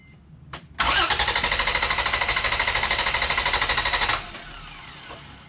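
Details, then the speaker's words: Vehicle cranked with battery removed via a 2000A jump starter, EFI relay pulled: fast, even starter cranking about three seconds that never catches; turns over without firing by design. "I'm gonna go crank it. It will not start. I have the EFI relay pulled out of the system, so it's just gonna crank, but it won't run."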